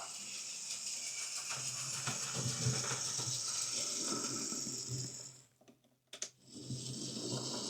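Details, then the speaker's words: Hornby R2558 County Class "County of Brecknock" model locomotive, new drive gear fitted, drawing about 100 mA: harsh, gritty high whirring with rough fluttering buzz and a brief stop; noisy cheap motor. "Power on. Makes a horrible noise, but it's just a horrible motor."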